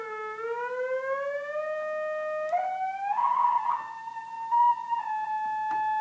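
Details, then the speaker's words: 1976 Octave CAT analog synthesizer, being restored after 25 years in storage: a held tone creeps upward and wobbles instead of holding steady because the main oscillator tuning potentiometer is dirty; it needs cleaning. "can hear how unstable the potentiometer is [Applause] so um that at first i thought my keyboard was still messed up but if the um tuner is in a dirty spot the the keys will sound bad"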